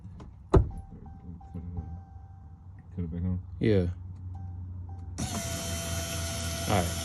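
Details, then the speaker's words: 2018 Dodge Charger SXT after replacement fuel pump found miswired (ground and sender power wires crossed in connector) and corrected: faint clicks, engine catches after about five seconds and runs steadily. "fired up firing it up [Music] yeah so that's all they had the damn thing pinned wrong"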